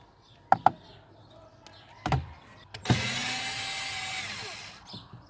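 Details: 2009 Kia Sportage, under dash: a few sharp irregular knocks with short motor whir from the HVAC mode door actuator, typical of slipping actuator.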